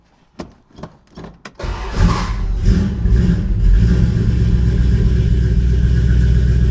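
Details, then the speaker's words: 1968 Dodge Dart GT convertible, 318 V8 from a truck with under 70,000 miles, 4-speed manual, sat about six and a half years, owner thinks 140 psi compression on all 8 cylinders, good oil pressure: a few clicks, cranks, catches quickly, revs, settles to steady even run; healthy. "As far as the engine running, I think it has 140 pounds of compression on all 8 cylinders."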